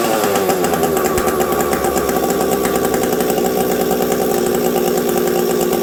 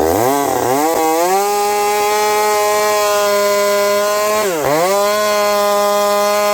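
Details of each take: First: Husqvarna 372XP chainsaw with UFO aftermarket pipe, very cold weather: steady mid-pitch two-stroke buzz with a slight hitch in firing; low-speed jet set too lean causing stumble, not the pipe. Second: Husqvarna 372XP with a UFO pipe cutting frozen ash at about -30 to -40°C after a thorough warm-up, high jet leaned slightly. It pulls hard at a steady high pitch, recovering cleanly between cuts while four-stroking with a slight rich burble: healthy under load.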